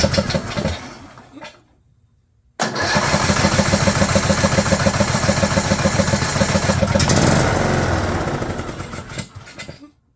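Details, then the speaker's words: 2011 John Deere D110 mower, engine reassembled from boxed parts, start on choke with throttle cable not hooked up: pull, pause, then catches and runs a steady quick single-cylinder beat near 200 a minute before shutoff; sounded good. "I shut it off. Sounded good. I shut it off so I could take it off the choke."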